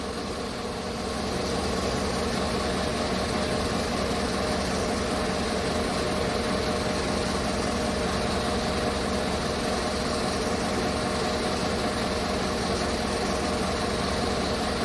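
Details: 2015 Chevrolet Tahoe with prior P0300 misfire, after full cleaning and new spark plugs with gap opened slightly: steady, even idle with a smooth unbroken beat, no stumbles; running clean on all cylinders.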